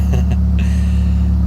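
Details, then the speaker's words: 2000 Mitsubishi Galant 2.4 L after taping a cracked intake manifold, warmed up, aftermarket exhaust: deep steady exhaust drone, idle holding about 1,000 rpm in park and in gear with no hunting; earlier it jumped between 1,000 and 2,000 rpm. "But anyway, as you can see, steady idle. So I'm going to put it under pressure and put it in gear. Same thing, good idle. Staying at about 1,000 RPM where it should."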